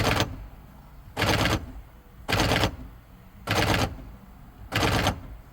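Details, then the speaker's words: 2014 Jeep Patriot, 85,000 miles, power door lock: five harsh buzzing rattles about a second apart, cycling on its own; it unlocks fine but won't stay locked, a faulty lock actuator that is part of the latch. "it'll just unlock no problem but going to lock is a problem anytime I've ever seen one of these it's always been the lock actuator"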